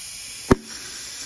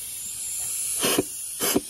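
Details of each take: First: Toyota A340E automatic transmission on the bench, valve body removed, air-testing hydraulic passages: position six, the second brake clutch, gives a sharp pop then a faint hiss and second burst; applies firmly and cleanly, a good clutch. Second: Transmission air pressure check: short bursts of sharp hissing as air escapes while applying the forward clutch port, a leak in that circuit that could cause delayed engagement.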